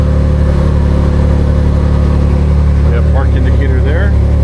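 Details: Can-Am Maverick R with DCT transmission, idling after restart following transmission magnet change, before any DCT relearn; no error messages. Low, steady idle, even beat about four a second, no surging or knocking; healthy.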